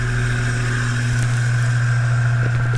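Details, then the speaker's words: Duracraft DV-518 18-inch 4-speed high velocity fan, likely 1990s: steady low drone with rough scraping, grinding and rattles from worn motor ball bearings, caused by a badly out-of-balance blade; bearings replaceable. "it's definitely ball bearing. That is the sound of worn ball bearings."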